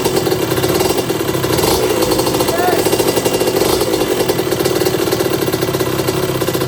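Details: 1982 Suzuki RM125 two-stroke during restoration, after spark confirmed and suspected carburetor issue addressed by swapping the other part on: crisp rapid buzz holds steady and even, no misfire; running and idling nicely.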